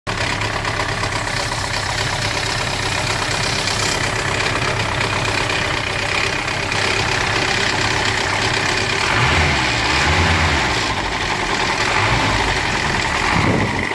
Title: M115.920 timing chain noise